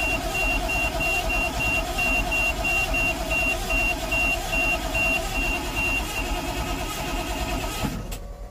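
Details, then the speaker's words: 1988 GMC 7000 with naturally aspirated 8.2L Detroit diesel that died while driving; fuel filters already changed, no smoke: starter turns it over at a good, even pace, about 2.5 beats a second, but it never fires; crank no start. "all righty so we got pretty good cranking cadence at least some let's tee that back on for right now"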